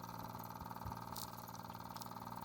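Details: Restored Mamod TE1 toy steam traction engine running with regulator fully open and drive band fitted; light, quick, steady chuffing with even patter, no knocks; runs smoothly though the drive band slips slightly and needs a tighter one.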